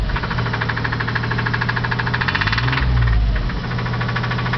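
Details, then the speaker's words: Petrol pickup truck engine that blew up while driving: heavy, steady rod knock at idle, beating about three times a second. "my engine blew up so my wife's not getting an engine I am and here's what it sounds like nice cheery rod knock going"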